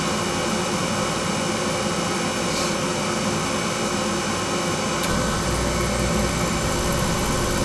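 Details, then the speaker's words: Carlin oil burner blowing black soot, restarted with a longer coupling suspected as needed: steady loud roar with a rough, uneven rumble underneath; still running rough, pump pressure check next. "fire oh she still doing it"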